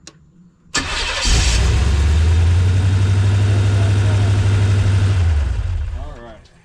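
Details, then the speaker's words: LT1 V8-swapped Jeep YJ after no-spark and no-charge repair, run briefly without coolant: cranks once, catches cleanly and settles into a steady, even V8 idle with no misses or knocks, then shuts off; normal start and idle. "One crank like it's nothing. Alright, it's late, so I'm not going to crank that too much. It's going to idle down."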